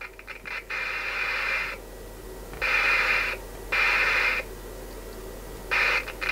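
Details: Alan 38 CB radio during servicing, speaker connected after cleaning; scratchy crackles and hiss as the volume knob turns; dry, dirty volume potentiometer still crackling, needing further cleaning.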